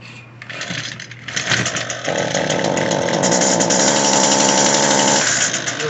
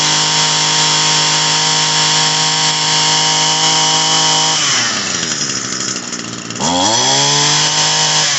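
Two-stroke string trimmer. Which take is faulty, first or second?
first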